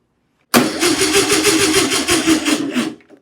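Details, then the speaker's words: 1962 VW Beetle, sat over 20 years, fuel pump still delivering fuel: the starter turns about three times a second, weakening and dying after two and a half seconds without firing; the battery is dead. "All right, guys. The battery is dead."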